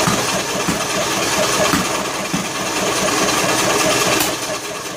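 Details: John Deere L100 lawn tractor cranking on choke with valve cover off; rough, uneven running with sharp pops through intake and exhaust, hard start; owner suspects broken flywheel keyway upsetting timing, or valves not sealing; unconfirmed.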